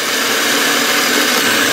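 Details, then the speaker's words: Nissan Maxima remanufactured starter, internally worn, bench-tested after cleaning with 600 grit sandpaper and carb solvent; smooth, high steady whir, even pitch, no grinding or catching; sounds good, temporary fix pending new starter. "it actually sounds pretty good."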